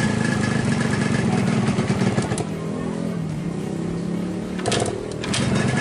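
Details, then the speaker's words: 2003 Yamaha RX-King two-stroke with low compression that won't idle: ragged uneven running with a loose rattling clatter over the exhaust; worn loose piston slapping in the bore, fixed by a new piston. "intinya motor sudah longgar. Ini pistonnya, sudah longgar seperti ini. Dan ini membuat suara mesin terdengar kurang mantap, teman-teman."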